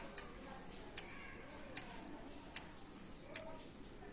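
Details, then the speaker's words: Hard drive connected through external case clicks sharply about every 0.8 s over faint hiss, not detected by LCD, USB receiver, laptop or mobile; drive repeatedly failing to spin up or read. "तो से इसी तरह उसकी ज्यादा click देता है तो देती है और इसकी जो है हल्की है जो की आपको सुनाई नहीं देगी"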